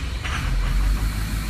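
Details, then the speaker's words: Diesel truck after replacement FICM, passed self-test, 48.5 V module supply, number three injector bad: catches with a brief uneven stumble, then settles into a low, steady, even rumble, starting and running smoothly. "right up running smooth"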